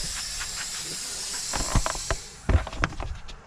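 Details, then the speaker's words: 2003-2007 Ford 6.0L Powerstroke, high-pressure oil system pressurized with compressed air to check for leaks after repair: steady high-pitched hiss, then handling clunks; air leaking at the test gauge fitting, not the engine. "But I hear a leak on the other side. So I'm gonna put this on. Oh, it's leaking from my gauge. Yeah, it's leaking from my gauge."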